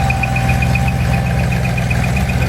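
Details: Ford 390 FE big block on a test run with reconditioned bottom end, C4AE 4V heads and 2V manifold, not yet run in. Smooth, even V8 idle with a steady beat and a light whine, possibly from the alternator or water pump; healthy.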